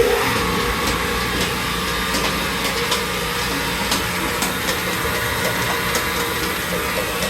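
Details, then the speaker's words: Warner Swasey #4 lathe, 7.5 hp three-phase motor, first power-up: steady, even hum with a faint hiss and light ticking, no knocking or grinding; it blew out dirt, maybe clearing some rust, and runs normally with the switch working. "I don't see anything that's giv me reason to think it it's going to catch on fire or anything hey my switch worked that's a plus um I think maybe it was just clearing off some Rust let's Let It Go for a little bit"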